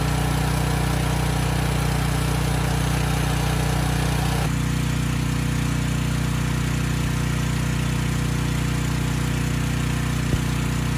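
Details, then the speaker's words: Briggs & Stratton Storm Responder generator (engine 21T212-0116-G1), formerly stuck at TDC with fuel-flooded crankcase, first start with governor spring tension backed off: a steady, even, low-speed hum with no misses, knocks or surging. Normal running at low governed speed. "i'm going to start it up the engine is going to be slow i backed off the spring tension i may not bring that speed up now"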